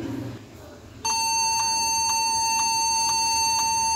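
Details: Toshiba Satellite L510 laptop: one long, unbroken high beep at power-on because a shorted keyboard key reads as continuously pressed.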